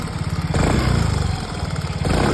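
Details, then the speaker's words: Yamaha Mio Gear 125 scooter with 25,190 km, at idle. A quick, even ticking keeps time with the engine beat; the cause was a loose spark plug and spark plug cap. "Ito mga bossing, maluwag lang po ang spark plug at spark plug cap. Yung lagitik na yun lang po yung inyong naririnig."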